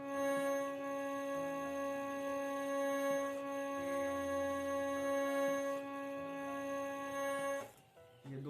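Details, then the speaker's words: Harmonium, sustained note with a rough, rattling buzz (jhar-jhar) under the tone, caused by a reed tongue sticking under airflow; upper Sa, komal Ga and komal Dha buzz too; harmonium reed buzz. "सुन रहे आवाज इसको buzzing sound कहते हैं यह buzzing sound क्यों होता है आता है य बजंग इसम जो रीट लगा हुआ है इसके अंदर व रीड जब फसने लगता है उसका जो पत्ती लगा रहता है जब वो फसने लगता है एयर फलो होने के बाद तो इससे ऐसी आवाज आती है"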